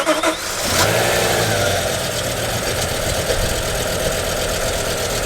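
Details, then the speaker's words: BMW M5 V10 cranks and settles into a rough, uneven idle with 6 of 10 cylinders misfiring, after cleaning and reinstalling both MAF sensors; not a mass airflow sensor issue. "shut it off dad sounded absolutely terrible good God okay"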